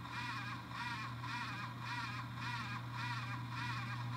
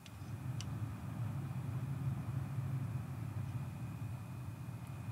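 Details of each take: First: X570 AMD motherboard chipset fan, board owned a long time, developed an annoying raspy warbling grind pulsing almost twice a second over a low hum; worn chipset fan, fixed by replacing the fan. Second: PC with an AMD X570 motherboard after replacing a grinding chipset fan, mic beside the case window: a soft, steady whoosh of fans rising slightly under load, with no grinding or rattle. Normal cooling fan noise.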